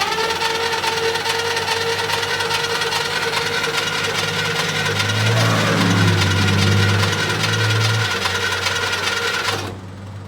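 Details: 1972 International Harvester 1110 pickup, off the road since 2013: steady starter cranking about two and a half compressions per second for nine seconds, never catching, no oil pressure on gauge; crank no start, no spark.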